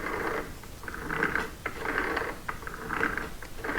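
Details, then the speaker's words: Dennis Premier mower gearbox after rebuild with new parts, turned slowly by hand with coupling and clutch refitted: soft, uneven straight-cut gear growl, normal; earlier grunting gone, not yet tested under load where noise was worst. "you can kind of hear it growling but these are straight cut gears so that's not that surprising but the kind of grunting noise has gone"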